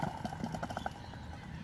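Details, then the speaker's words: Alternator off a Mercedes W124 300CE 24, turned by hand: quick uneven clicking rattle from loose worn bearings, squeak from the brush contacts in the other direction; to be rebuilt with new bearings and brushes. "that rattling noise, that's the loose bearings. It should be perfectly silent when this is rotating."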